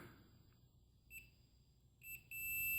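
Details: Davemade 16-pill CB amplifier under repair, with a multimeter on a combiner with 14-gauge wires: a quiet room, faint chirps, then a steady high continuity beep showing the connection is made.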